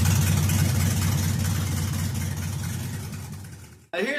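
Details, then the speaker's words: LS-swapped V8 in a 1966 F100 on a Crown Vic chassis, on a replacement flash computer after a VATS lockout: a deep, lumpy chopping rumble at about three pulses a second, then it cuts off. A normal idle. "Basically, I was just excited wanting to hear this thing sit and idle and chop."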